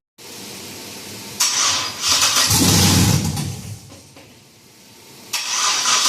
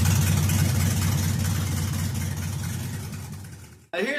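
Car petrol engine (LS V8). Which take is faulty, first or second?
first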